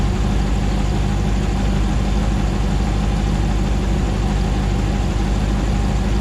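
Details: 2009 Hemi 1500 TRX4 auction truck, first start after months of rebuilding, about 87 psi oil pressure: even, steady V8 idle, smooth low rumble, no hunting, misses or ticking while warming up, no longer jerking like before; normal idle.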